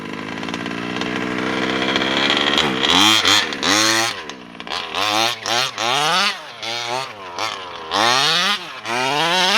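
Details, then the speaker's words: Taylor RC 35cc two-stroke with OBR 1254 carburetor in a Losi DBXL 2.0: buzzes along, hesitates and sags when blipped from low revs, then screams up; bog on acceleration at the bottom end, top end good. Owner plans a bottom-end carb adjustment. "So as you can hear, it kind of struggles a little bit at the bottom end, just when it tries to pick up speed. But once it does, it sounds really nice."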